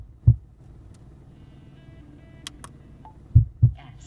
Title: HuiFei radio popping sound and nav signal loss